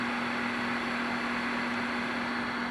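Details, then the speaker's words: General Stonewall Jackson transmitter after repair, not transmitting: steady hiss with a low even hum and no thumping; the thumping was fixed by replacing a power-supply capacitor on the amp board. "Alright, still got some things to do to it. But you can clearly hear there's no thumping."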